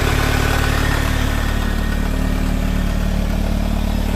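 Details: Toyota MR2 with 3S-GE engine, cold idle: steady, fairly even knock about two to three per second over a deep rumble, heard only when the engine is cold; owner suspects piston slap, unconfirmed.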